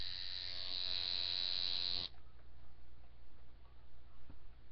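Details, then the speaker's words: Coil tattoo machine running at nine after tuning: a bright, steady high buzz holds even for two seconds, then cuts off cleanly; the machine is well tuned and running sweet. "like I said this here is running at a at a nine right now beautiful"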